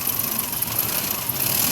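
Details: Petrol car engine running rough and uneven at idle, its beat stumbling, the engine limping and lacking power; a misfire.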